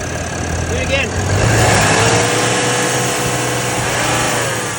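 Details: 2022 Ram 3500 diesel at idle and revving: steady airy hiss over the engine that persists through revs; source unknown.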